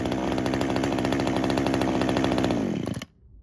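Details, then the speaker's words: Traded-in small two-stroke chainsaw with a broken handle and blown vibration dampener bushing, started on choke with primer: steady high buzz with even firing, then cut off abruptly. Its on-off switch is disconnected. Sounds healthy; normal running. "Okay, seems to start and run fine."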